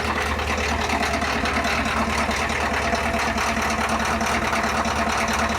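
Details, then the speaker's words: Ford F350's cold International diesel, which is burning oil: an uneven idle clatter, roughly two beats a second and not steady, like one cylinder misfiring. The owner suspects a bad injector, unconfirmed, and plans to pull the engine anyway. "Maybe it does just have a bad injector. I don't know."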